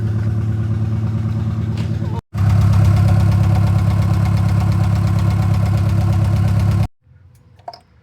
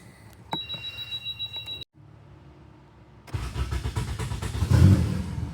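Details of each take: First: Turbocharged Honda Accord F23 petrol engine misfiring at idle and everywhere, uneven stumbling lope; customer complaint: breaks up entering VTEC. Swapping coil packs between cylinders, the misfire followed one coil; failed coil pack replaced. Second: Turbo Honda Accord F23 that missed at idle and broke up entering VTEC now catches and settles into a steady, even idle after the bad coil pack was replaced; the fault had followed that coil when it was swapped between cylinders.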